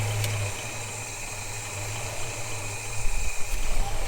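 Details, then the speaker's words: Holden HK with engine just installed, idling: light, loose rattle riding over the low, steady run; it's the PCV valve rattling. "So that's the rattle you're hearing there. That's the PCV valve."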